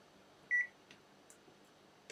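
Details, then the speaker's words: Multimeter continuity test between ground clips on a device's connections: a single short, clean, steady high beep in a quiet room as the meter confirms continuity. "Just press R until you get to uh uh the right thing. Don't select you press. That's it. Ah, okay. We got a beep."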